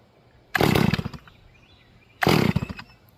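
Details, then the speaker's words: Rebuilt Stihl MS440 chainsaw during manual carburetor tuning, idle jet fattened and low jet barely open: two short, blubbery bursts that sputter and die instead of revving clean; over-rich mixture, probably flooded. "It's too fat now. Choke it. Yep. All right. So, it's way too fat. It's probably flooded."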